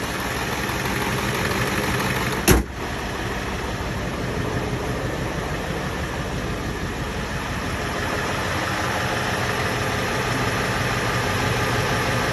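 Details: 7.3 Powerstroke diesel restarted warm after injector shims and a starter were installed to cure hard cold starts: settles into a steady idle with even clatter and no misses, one brief knock early on, otherwise a healthy run.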